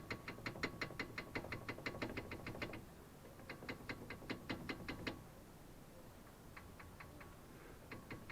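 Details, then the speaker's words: Toyota brake caliper, wheel removed, caliper rocked by hand: bursts of sharp metallic clatter, about three knocks a second, from worn guide pins letting it rattle; the knock is also heard when driving on rough roads. "и что мы сейчас на данный момент видим это мы видим вот такое болтания суппорта и вот таким вот грохотом"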